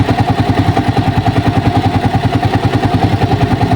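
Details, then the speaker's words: Racal 125 tricycle single-cylinder at idle, valves unadjusted for two years: light even ticking at about 3.5 per second over steady idle, not yet loud; loose valve clearance, tappets due for adjustment. "So ayan guys umaandar na siya. Meron kayong naririnig guys na tumitiktik. Ayan guys oh. Pero hindi pa naman masyadong malakas."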